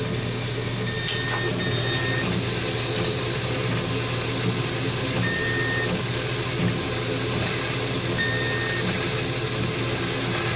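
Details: Laser cutter cutting a mockup after warming briefly: short high whistles come and go over a steady hiss; the whine comes from the laser tube with tap water in the chiller.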